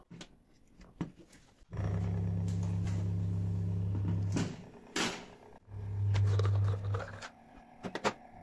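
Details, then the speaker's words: Washing machine drain pump motor bench-tested on mains power out of the machine: two bursts of steady low hum, light handling rattles between, no knocking (faulty ones knock); impeller spins cleanly, healthy, as is the second motor. "Gördüğünüz gibi gayet sağlıklı çalışıyor. Şu iç kısımdaki motor. İkisinde de problem yok."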